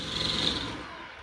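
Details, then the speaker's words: Roomba robot vacuum running: high fluttering squeak from recently installed aftermarket brush rollers; removing the rollers silenced it, genuine model-specific rollers needed. "this was brought into me saying it makes a squeaky noise [Music] you hear that it's like fluttering"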